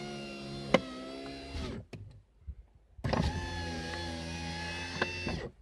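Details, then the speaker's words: VAZ 2108–2115 family power window after cleaning glass channel, lubricating plastic cable roller with graphite and refitting seal: steady, smooth motor whine up and down with no squeak; normal power window operation after fix. "нет ни скрипа ничего нету уже я ребята отвечаю"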